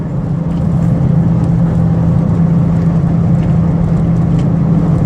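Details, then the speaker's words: 2003 Ford Windstar LX van, 248K miles, highway test drive at about 70 mph: even engine drone under road and tire rumble, no knocks, surges or vibration; normal cruise, transmission shifting and steering steady. "get it out on the highway so you can hear the engine run hear the transmission shift and you can see this vanish roadworthy certainly not a hot rod but it gets up to right around 70 miles an hour no problems"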